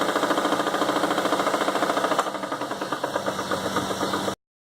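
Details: Chevrolet S10 with light throttle coming in: clear, regular knock about three and a half per second over the engine, internal engine knock, source unknown.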